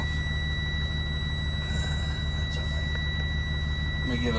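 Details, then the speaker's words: Class B school bus during inside pre-trip inspection at idle, emergency exits being checked: constant high buzzer tone over low idle rumble, likely the low air pressure alarm still sounding. "I think that's just our low air pressure alarm still"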